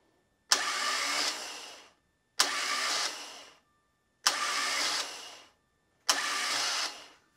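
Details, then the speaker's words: Bench-mounted starter with no engine attached, spinning freely four times, each a steady high whir of about 1.5 s that winds down cleanly. Current peaks near 8.9–10 A and runs about 7.5 A. Normal free spin. "So when I hit the start button, you're gonna see the motor start spinning. It's gonna shoot it out into the flywheel and it's gonna create some current to do that."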